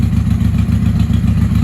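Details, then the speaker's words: 1995 Honda Shadow VLX 600 VT600CD with stage 3 jet kit, open exhaust, K&N filter, after cleaning the fuel petcock: lumpy, loping V-twin idle that won't settle; owner suspects carbs need synchronizing. "Definitely better than before. She doesn't want to sit here idling."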